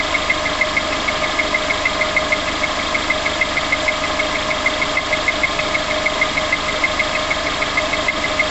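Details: Engine just after start-up: sharp, light ticking at about three per second rides evenly over a smooth idle; tapping noise, source unclear.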